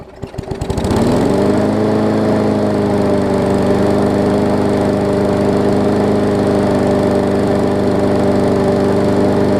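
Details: Newer Murray push mower, after stretching and cutting the throttle spring for more spring action: engine settles into a steady, even drone with no hunting or surging, normal running speed, definitely better.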